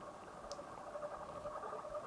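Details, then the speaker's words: Coolmoon Crystal Diamond 12cm ARGB budget PC case fans on their hub/remote controller at the lowest speed setting: quiet wavering hum with soft irregular ticking, fans barely turning and about to stall, some stopping; owner suspects they aren't designed to run that low. "they are making a slightly odd noise so perhaps they're not really designed to go down that low"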